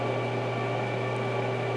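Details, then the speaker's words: 2021 Ford F350 King Ranch A/C system being pulled down to 30 in vacuum for 5 minutes after line work: steady low hum with an overtone drone that sounds off; cause unclear. "That didn't sound right."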